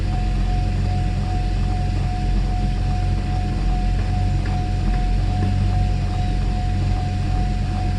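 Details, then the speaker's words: Mercedes S600 W140 with a repaired E-gas module, in-car idle test, ASR light off: an even, steady idle over a low rumble. A constant light whine comes from the air pump, loud because the exhaust is broken; normal idle. "Start it up. ASR lights off. That's a good sign. Idle feels to be so far so good."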